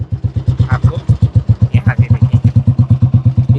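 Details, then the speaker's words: 1988 army-disposal Royal Enfield Bullet 350, first start of the day, hand-started: deep even single-cylinder thump about eight beats a second, steady and unbroken. Normal idle. "ये देखिए शानदार इसकी आवाज आ रही है और आप देख सकते हैं मैंने अपनी बुलेट जो है वो हाथों से स्टार्ट कर दी है।"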